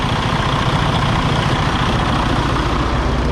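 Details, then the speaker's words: Freightliner Cascadia DD15 diesel, believed 2017, about 800–900k miles and deleted, with coolant loss and blow-by, at idle: heavy, lumpy beat that keeps wavering. Compression test points to low compression on cylinder 3; liner failed from an over-fueling injector. "All right, guys, so you can hear that. It does not sound good at all."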